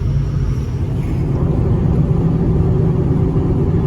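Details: Ford F350 6.0 diesel, leveled, about 113k miles: deep, even diesel rumble at steady idle with no knocking or misses; sounds like a healthy engine.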